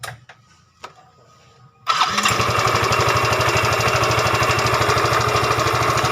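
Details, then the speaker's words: Yamaha Fino 125cc fuel-injected scooter, CVT cover refitted and ruled out: engine fires and settles into a harsh, coarse idle with an uneven rattle, still rough. Valve clearance, cam chain and camshaft bearing next. "Oke, itu kabel sudah terpasang, suaranya masih lumayan kasar ya. Oke, berarti nggak ada masalah di area CVT."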